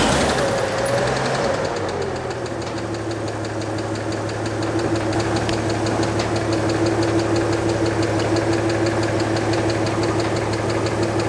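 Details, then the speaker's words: 1938 Chevrolet Coupe Master Deluxe inline six, just after valve adjustment, timing light on number one cylinder: steady low drone with an uneven ticking knock near three per second; timing mark nowhere near pointer, ignition timing out of adjustment. "and that ball is nowhere near i don't even see that white ball period so this thing is not in time"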